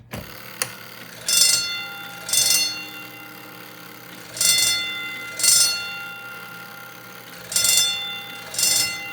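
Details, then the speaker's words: Acme fire alarm station powered by a 24V DC supply: bright electric bell rings in short, clean, even bursts roughly paired every second; normal fire alarm bell operation. "so that's uh that's the fire alarm here it's set up"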